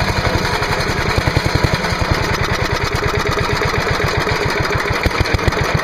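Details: Trash-picked MTD Yard Machine chipper/shredder with 5HP Briggs & Stratton single-cylinder engine, first start on choke after starter fluid sprayed into carburetor (air cleaner removed): fast, slightly uneven chugging; has spark and is drawing fuel, runs rough before maintenance.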